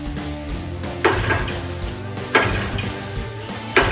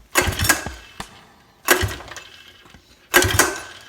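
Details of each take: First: 1982 Yamaha Tri-Moto 175 that had sat a long time and would not start, after carburetor cleaning, clear fuel lines and fresh gas: a few sharp starter pulls, then it catches and settles into a steady, even run; normal running. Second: 1982 Yamaha Tri-Moto 175 no-start: compression and spark confirmed good, so the carburetor is suspected; three rope pulls, each a quick rasping crank that dies away, engine never catches.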